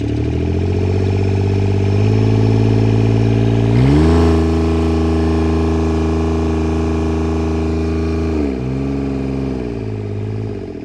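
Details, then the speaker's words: Junk John Deere 430 diesel garden tractor: runs steady, briefly picks up, then sags and labors before stalling as if fuel-starved; owner suspects plugged fuel filter, line restriction or failing lift pump. "Runs good and then it just stalls out. So I think the fuel filter's plugged, or I have a restriction in the line somewhere."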